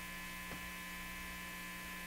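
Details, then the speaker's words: National HRO Sixty communications receiver: only a steady electrical hum with no audio passing; audio-stage fault suspected, not confirmed. "So that's what I got last time. It's just this hum."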